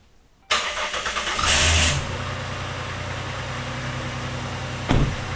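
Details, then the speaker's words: 2010 Dodge Ram 3.7 V6 with a second replacement engine, first start: the engine catches and settles into an even idle, with a brief rush of power steering noise just after firing. It runs much better than the previous engine. "works well other than that little bit of power steering noise when it first started up this is already sounding much better than the last engine"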